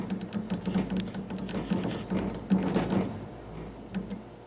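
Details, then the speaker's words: Heat pump fan coil ECM blower motor, showing an A41 blower motor fault code, recorded with the inspection cover off: low, uneven rumbling pulses two or three times a second while the squirrel cage is not turning; failed ECM blower motor. "the motor is just pulsing it's it's not turning the uh the squirrel cage inside is just making this rumbling pulsing"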